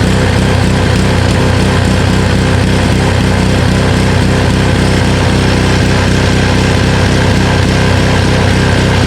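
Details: Honda Harmony HS520 four-stroke single-stage snowblower after carburetor clean, off choke, with governor spring and idle screw adjusted: small single-cylinder runs a steady, even beat about four pulses a second with no hunting or surging; runs healthy.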